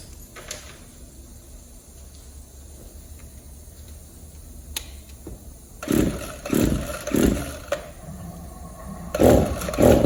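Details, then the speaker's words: Two-stroke hedge trimmer with a burnt, scored piston and almost no pull-rope resistance: quiet start, then ragged full-throttle bursts that surge and sag about every second; it won't stay idling and surges at idle. "But the crazy thing is, I can just pull the rope and tell the engine is burnt up. But the thing still runs. I don't know how."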